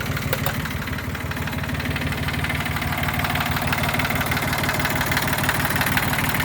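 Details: 1979-1981 Yanmar YM1610 diesel tractor, first start after sitting ten years: steady diesel clatter at even idle, about three beats a second, no misses or knocks; normal idle.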